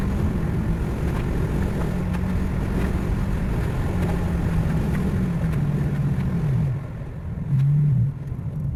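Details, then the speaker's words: 1969 Ford Mustang with C4 automatic at steady cruise around 35 mph: engine drone drops then jumps back up as the transmission keeps shifting up and down on its own, gear hunting that seems to worsen as the transmission heats up. "it just keeps like it just keeps shifting which is real Annoying on short drives it's not bad I can deal with it but when I'm in the car for 3 hours and it keeps doing that it seems to get worse as the engine heats up"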